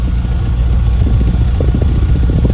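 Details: Ford Fiesta 1.6 at idle after coil repair (misfire codes P0301/P0303 from a failed coil output terminal): deep, even exhaust thumps at the tailpipe with no skipped or popping beats; all cylinders now firing cleanly.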